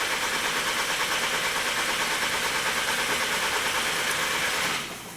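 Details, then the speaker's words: 2012 VW CC 2.0 TSI CCT engine with cam timing codes P0341/P0016, intermittent no-start that usually starts on retry; steady cranking about three beats a second for nearly five seconds, never catching, crank no start. "so there's the no start problem but uh almost always when it does this you can try again and it'll start"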